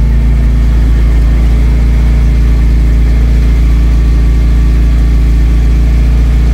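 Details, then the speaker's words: Vauxhall Cavalier Mk2 after exhaust welding repair, no back box fitted: deep, steady idle with even burble, far better than the horrendous sound before; only a slight leak at an original clamped seam. "So let's start it up and see what it sounds like. Damn sight better than what it did before. It sounded absolutely horrendous before."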